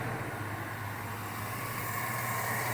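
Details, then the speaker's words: 2008 Chevrolet Silverado V8 with 203,000 miles, which had an intermittent misfire in cylinder 6, worst when cold. It now has new plugs and wires. At idle it runs steady and smooth with no stumbles, and the fuel pump is audible: no misfire. "get this thing fired up and for right now there is no no miss island nice and smooth"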